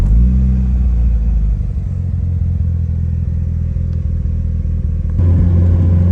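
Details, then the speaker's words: Mitsubishi Evo 8 MR after engine swap, on the road: deep, smooth rumble stepping up evenly under throttle, boosting fine with blow-off valve audible, no knocks or rattles; normal running. "all right boys so we driving her now she seems good it runs good it boosts fine you can hear the blow off"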